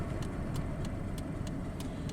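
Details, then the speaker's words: 2003 Pontiac Grand Am GT on its first drive after a rebuild: light ticking about three times a second, steady with wheel speed, over road rumble, with pulsating brakes. The owner suspects a brake or rotor noise that may wear away; not confirmed. "Still hear that noise. It's probably going to take a while for that to go away."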